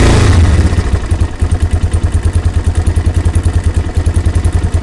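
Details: Yamaha Warrior single-cylinder engine: fast, even putter with a light mechanical clatter riding on each beat; abnormal noise, cause unclear.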